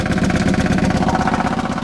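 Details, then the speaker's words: 1993 Grand Am, 70K miles, salvage purchase, heard at the exhaust: lumpy, irregular idle, clearly misfiring; check engine light on, rotten fuel smell from exhaust, bad gas suspected, bad coil pack or weak fuel pump also possible. "there's so many things that could be it could be bad gas it could be a bad coil you can hear it's definitely misfiring huh"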